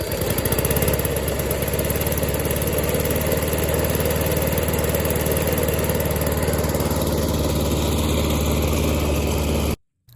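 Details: Old, dusty lawn mower runs after pressure washing and carburetor cleaning: steady, even small-engine drone at constant speed with no misses or surging until shut off; running properly.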